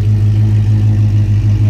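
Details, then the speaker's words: Alex's V8 car at cold idle just after a cold start, recorded outside the shop: deep steady rumble with a slight uneven rise and fall, ghost-cam-like lopey idle; suspected to need a tune, not confirmed. "For a minute there, it'll sound like you got a ghost can. Right?"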